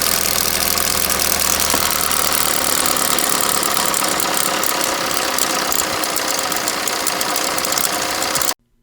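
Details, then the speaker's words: 2011 Chevy Equinox, 2.4 four-cylinder, about 90,000 miles, code P0011, oil full, at idle: a loose, fast, uneven metallic rattle up top. The stretched timing chain, with its top retainer broken off, was slapping the back of the valve cover. "You can see where the slapping noise is coming from because this top retainer for the timing chain is actually broke off. The chain had been slapping the back side of the valve cover."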